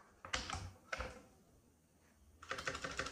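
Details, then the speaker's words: CosmicByte Firefly CB-GK-18 tenkeyless keyboard, Outemu Red switches, stabilisers lubed with Vaseline; sharp clacky, slightly hollow keystrokes, louder with the rear height legs extended, inclination suspected as the cause. "notice it makes a little bit more noise i think it's because of the inclination for some reason"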